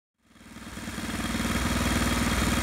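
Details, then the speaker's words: 212 cc small engine on a dyno running 93-octane fuel containing 22% ethanol: it catches within a second and settles into a quick, even beat with the idle noticeably higher. This fuel tested worst of the grades. "so right away the engine runs different the idle's higher hmm this is getting interesting"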